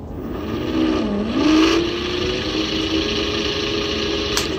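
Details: Cheap 400W three-phase alternator spun by motor: rising whine with coarse gritty rumble as it spins up; bearings sound rough, likely ungreased, and shaft bearing gets warm; no improvement after running.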